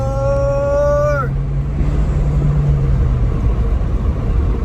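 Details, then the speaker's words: 2017 Chevy Malibu turbo, 167,000 miles, full-throttle road test checking turbo, smooth pull and shifts: strong climbing note drops cleanly at the upshift then a steady deep pull; runs very well, normal acceleration. "this car runs very good so I'm very surprised for what I paid for this it it runs very very well"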